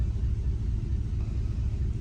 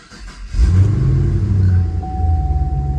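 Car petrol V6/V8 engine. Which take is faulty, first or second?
first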